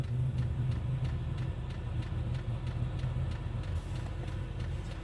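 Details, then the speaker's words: Happybuy Vevor 8 kW Chinese diesel heater in a van, running after a glow plug replacement: steady low fan rumble with faint, even fuel pump ticking; the heater fires and runs normally. "Well, I just plugged it all back in. And it seems to be working. Fingers crossed."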